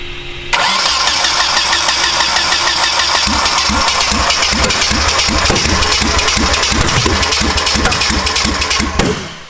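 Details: Turbo KA24DE swapped into RWD Honda Civic, first start-up: starter whir then lumpy uneven firing about four beats a second that never smooths; misfire from a bad cam trigger signal.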